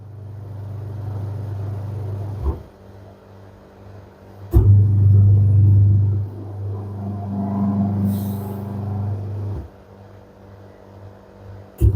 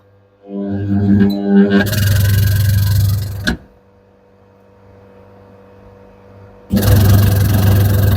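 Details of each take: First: Candy semi-automatic twin-tub washer, wash motor on a wash cycle after fixing: steady low hum cycling on and off in bursts with a reversing pause, smooth and even; motor running normally. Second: Candy semi-automatic twin-tub washer RTT 21751 WSU 19, 17.5 kg, back cover off: wash motor not rotating, deep steady hum in bursts without spinning up, motor overheating; capacitor not at fault, motor bush getting stuck; stalled motor humming.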